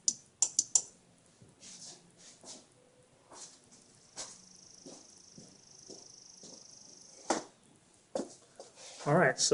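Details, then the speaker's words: Nissan S13 240SX non-working horn, after a temporary jumper wire was added: sharp dry relay clicks at each horn-button press, where it did not click before, but no sound from either horn; horns to be tested next on direct 12 volts. "You could definitely hear the relay clicking now, which was not clicking before. But I'm still not getting any sound out of these horns."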